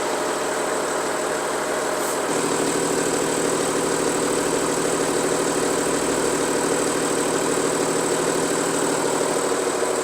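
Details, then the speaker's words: 2016 Audi A6 40TDI diesel with over 220,000 km, just started: loud, steady metallic rattle over the idle that never lets up. Worn dual-mass flywheel; the loudest the mechanic has heard. "이 차량이 제가 지금까지 들어봤던 소리 중에서 가장 큰 소리가 나서 입고가 됐어요."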